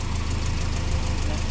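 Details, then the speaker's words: Car after engine swap replacing a motor with a scored piston, piston slap and water in the oil: replacement engine idles smoothly and quietly with a steady low hum, no knocking or piston slap. "runs got it nice and quiet finally"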